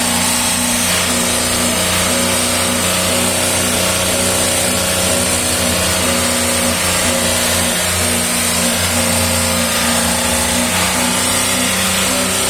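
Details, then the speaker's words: 2019 VW up! TSI, 50,000 km, recorded under the gearbox at 3000 rpm with the clutch pedal pressed. It has a fast fluttering chatter over the drone after a new original VW clutch kit two months ago. The fork is suspected to be chattering on the actuator; at low revs it is felt only in the pedal. "daí em rotação alta 3000 giro ele faz o barulho como se tivesse tripidando o garfo sobre o atuador certo isso em mais Giro Alto ele tripida mais em giro baixo se sente só uma ceguinha no pedal da embreagem"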